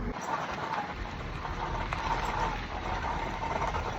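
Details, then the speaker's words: 2015 Subaru Outback rolling at 1 mph in a driveway: rough, steady scraping grind with a faint wavering metallic squeal, with ABS and traction control lights on; the customer suspected rear brakes, but it is a wobbly rear hub assembly/wheel bearing. "You hear that? I'm shaking it. That bearing's all wobbly."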